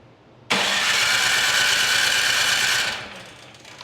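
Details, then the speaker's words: Craftsman Select 26 snow blower (model 31AM6C2FB93, 675-WUB engine) that ran once last year, cranked on electric starter after fuel flushing, choke off: starter whirs steadily, engine never fires; crank no start from clogged carburetor, carburetor to be removed and cleaned. "okay at this point this does not run by flushing the system so we're going to go ahead and take the carburetor off and clean it out"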